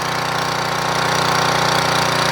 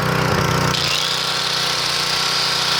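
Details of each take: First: 3000 watt portable generator after new carburetor install: small single-cylinder runs at constant governed speed with fast even firing beat, no surging or hunting; output about 118–120 volts, healthy. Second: 3000-watt portable generator, leaking oil, before carburetor replacement: buzzy engine drops speed then wavers, unable to govern itself because the carburetor is in bad shape, output only about 115 volts; hunting.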